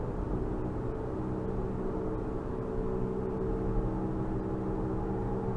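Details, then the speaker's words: AWD 2005 Infiniti FX35 after replacing the front propeller driveshaft: deep droning rumble that drowns out the engine above about 45–50 mph, slight pedal vibration; not fixed, wheel bearing checked and seemed fine, cause unknown. "Let me turn down this air and see if you can hear it get rumbly louder. It's like you can't even hear the engine anymore after you get up to about 45, 50."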